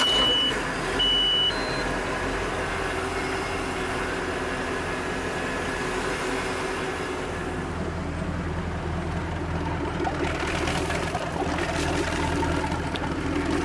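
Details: Centurion boat with Mercruiser 5.0 V8 that would not start, after replacing the starter with a broken post and the starter fuse: steady, even rumble at constant speed with no misses or clunks; normal running.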